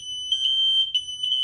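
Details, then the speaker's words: Interconnected system of two wireless and one hardwired red smoke alarms with a wall controller, set off by smoke: all three sound together, a continuous piercing high-pitched tone with pulsing overlaps, before the locate button isolates the triggered unit. "Now all three of them are going to be making noise. But when I press the locate button, the other two will shut up and the one that's causing it will keep going."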